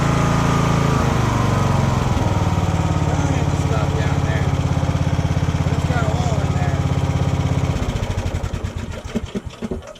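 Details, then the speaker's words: Free roadside lawn mower with brand-new carburetor, steady single-cylinder chug for about eight seconds then slowing and fading as it winds down; normal engine running. "guess you got a free running mower."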